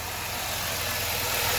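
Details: 2007 Dodge Nitro 3.7 V6, 147k miles, check engine light on (P0507, P0456): steady airy hiss over a smooth idle with no knocks, from a hole found in the PCV hose; vacuum leak.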